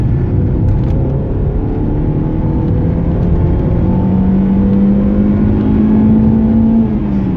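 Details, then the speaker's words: Mazda 323F BA 1.8 on the road under hard acceleration: engine note climbing smoothly and cleanly to about 7000 rpm, no knocks; healthy engine (exhaust heat shield rattle noted separately when hot). "we're gonna give it some noise so you can hear this engine when it's at high rpm"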